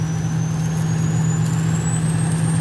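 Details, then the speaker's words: Ford Super Duty diesel truck cruising on cruise control over inclines and declines, half tank of fuel: steady high turbo whistle rising in pitch over even diesel drone, normal turbo spool. "And cruise control works. It's just we're kind of going up little, like, incline, declines, and it just whistles the whole way, which I'm good with. I think it sounds great."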